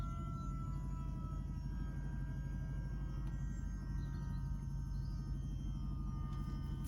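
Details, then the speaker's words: LQ9 V8-swapped 1973 Firebird with a 6-speed manual, restarted after cooling system and earth work, warming as the thermostat opens: steady, even hum at a fast idle well above normal. Owner suspects the choke. "It's idling really high, so I'm going to to take the air filter off and see if I can lower it. It's probably the choke."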